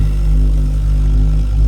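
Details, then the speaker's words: Ideal Logic combi boiler that vibrates loudly after heating runs about 20 minutes. It is quiet on the hot tap, but in service mode at low fire it gives a constant deep droning rumble with humming tones. This usually means a faulty gas valve. "So, if it does it in low mode, it's normally the gas valve that's faulty."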